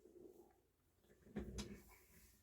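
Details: JVC L-A120 turntable motor after a drop of light machine oil at the base of its top bearing, which had been chattering and noisy: runs almost silently, just a faint low hum with a couple of handling knocks; quiet, normal.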